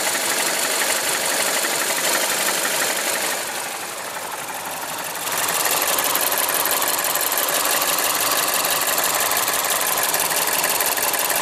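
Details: Mazda CX-7 2.3 turbo running: fast, fairly even sharp metallic ticking knock from the upper end; owner suspects the camshaft gear (VVT actuator). Engine knock, cause not confirmed.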